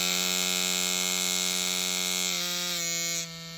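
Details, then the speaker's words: Ambition Ninja Pro tattoo machine at its 12 V maximum. A high, strained buzz that sags and drops off near the end; the machine cannot cope with 12 V and runs rough at top speed. "собственно спрашивается вот за на кой черт делать такие скорости то есть если машина не вывозит 12 вольт зачем вы делаете эти 12 вольт"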